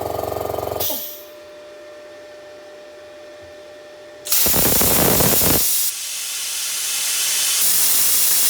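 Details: Parkside (Lidl) plasma cutter cutting 3mm steel: buzzing pulse as the pilot arc starts, the compressor kicking in with a steady air hiss, then a loud roaring arc hiss through the cut; normal operation.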